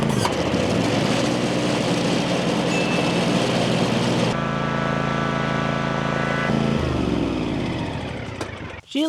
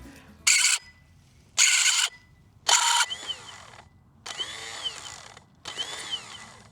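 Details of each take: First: Land Pride ZTS 48-inch zero-turn mower, started with choke: small petrol engine runs steadily, pitch changing while driving, transmissions with a slight whine but no excessive groaning, responsive; normal running. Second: Land Pride ZTS 48-inch zero-turn mower on a jumper pack: three sharp high shrieks then whirring spin-ups that fade; starter spins but shrieks, drive gear suspected not fully engaging, possibly a lubrication issue; not confirmed.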